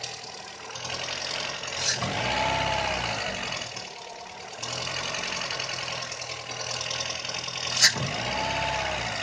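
Petrol engine idling unevenly, speed hunting and stumbling with a couple of sharp catches; rough idle, cause not evident by ear.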